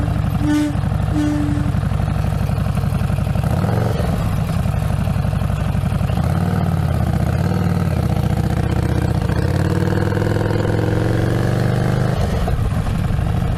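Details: Harley-Davidson Street Rod 750 with a known rear brake design glitch: loud, steady V-twin with a thin howling tone that rises and falls over the engine note, the rear brake howl.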